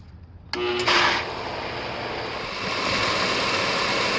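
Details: Pool pump that only hummed and clicked off, after swapping in a new run/starter capacitor: it clicks on, whirs up briefly, then settles into a smooth, steady rushing hum, running normally.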